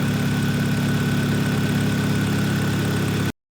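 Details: 2011 Kia Cerato 2.0 G4KD automatic, 184,000 km, after cylinder sleeving and full engine rebuild for piston knock and scored cylinders, heard from outside: smooth, even, quiet idle with no knocks or ticks; normal idle.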